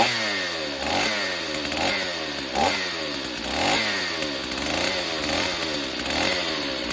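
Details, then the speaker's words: Stihl 028 Wood Boss chainsaw, long unused, pulse line found cracked; running with air filter off, thumb used as choke. Two-stroke buzzes high, revs surging and dipping every few seconds but keeps running; sounds sound, needs tuning and servicing, weak like owner remembers. "Yeah, I don't think there's anything wrong with her. I think just some tuning and a little bit of servicing, I think this thing will be great."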